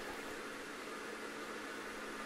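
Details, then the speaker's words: Bosch SHE4AP02UC/06 dishwasher with a drain pump that starts and stops, tested with an empty sump: steady airy hiss with a faint constant hum and no knocks as the pump runs continuously, sucking air. "this is an empty dishwasher and what we should hear is it's running the pump continuously and sucking air the whole time"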